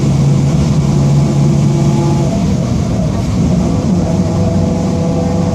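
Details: 2007 Marcopolo Torino city bus on Mercedes-Benz OF-1722M diesel chassis, Grande Londrina fleet 3311, driving; steady low drone with rough growl riding with road speed, a growling rear differential.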